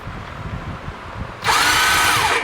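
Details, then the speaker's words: 2019 Massimo T-Boss 410 EFI, key turned: high electric whir spins up for about a second with no cranking rhythm, starter freewheeling; suspected bad one-way sprag clutch behind the flywheel, later replaced. "my guess is going to be it's going to be the one-way bearing on back of the fly wheel has gone bad so we're going to end up changing that out"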